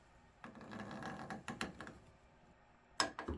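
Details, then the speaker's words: Honda CR-V sun visor held in vise, pivot forced round by hand: slow uneven creaking and groaning from a very stiff pivot, before trying silicone spray lubrication. "Quite a bit. Really stiff. You can even hear it creaking."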